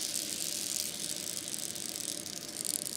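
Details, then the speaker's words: Skateboard wheel with freshly cleaned and reassembled loose-ball bearings, nine balls each side: spins freely with soft hiss and faint even ball clicking fading as it slows; bearings fine. "there we go we're nice and nice and spinny because all and hear the bearings clicking which means everything is a-okay"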